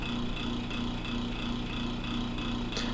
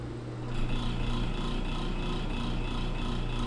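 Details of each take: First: Small motor-driven test rotor starts, runs a few seconds and stops with a steady, even hum and gentle regular pulsing; acceptable balance, vibration severity 1.87 mm/s RMS. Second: Small test motor (test machine 2) with the rotor deliberately and considerably unbalanced by a piece of modelling clay: steady hum with a rhythmic throb about four pulses a second; measured vibration peak grows markedly.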